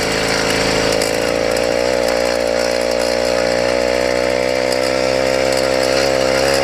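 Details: YD100 two-stroke after ramped piston build, hot on first test: high buzzing rev with metallic chatter in top end, appearing only once heated; owner suspected squish (one gasket).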